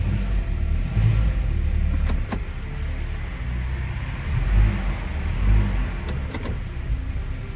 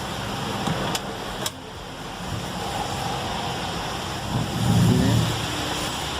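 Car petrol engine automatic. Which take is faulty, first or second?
second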